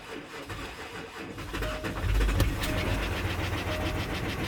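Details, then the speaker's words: 2012 Range Rover Sport V6 diesel, starting: heavy, rough knock beating unevenly through idle, serious internal knock; suspected crankshaft, possibly piston, not confirmed. "You can hear the knocking sound. Can hear the knocking sound."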